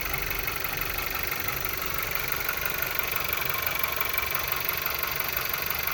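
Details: 2013 VW Golf Mk7 1.4 at idle with random multiple-cylinder misfire codes P0300, P0301 and P0302, which don't return after clearing; some oil smell after long drives. Busy, slightly uneven idle with an irregular tick of about three per second; cause unknown.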